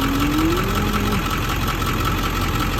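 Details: Ford 7.3 Powerstroke diesel at cold idle: rough, lumpy knocking beat with steady mid-pitched clatter; three passenger-side cylinders stay cold on temperature check — dead injectors not flowing, though buzz test passes.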